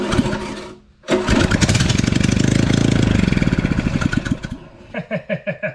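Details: Honda concrete mixer single-cylinder petrol engine test-run after repairs, with new oil, before reinstalling it on the mixer: fires on the pull, runs with a quick even beat, then is shut off and coasts down; working well.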